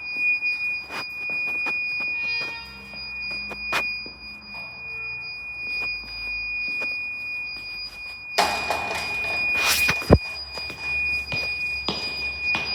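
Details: Weird beeping noise at Westminster School Amman, source unknown; thin high steady tone under room noise with scattered short chirps and one buzzy beep burst, maybe a detector, intermittent.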